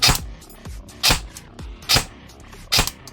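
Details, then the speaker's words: Specna Prime airsoft gun with Aster unit and Dark Matter motor after fitting an SHS M100 spring to cure bouncing from a too-short spring: four crisp single shots about one per second, clean crack, less springiness, gearbox cycling normally. "You can hear some of the springiness has gone away."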